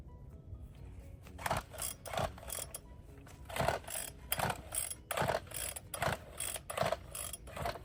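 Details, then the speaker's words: Bolens BL160 weed eater, found discarded, being tried with a new spark plug and fresh fuel: rasping recoil pulls about every three-quarters of a second with no firing in between. It cranks but won't start; the carburetor is to be checked next. "Okay, so it didn't start with a new plug and or new gas."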